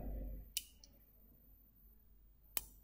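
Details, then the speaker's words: Lego computer-controlled relay connected with croc clips: two sharp clicks about two seconds apart as the electromagnet switches the relay on and off normally. "relay switching on and off just it once more that little dick with the electromagnet so that you off"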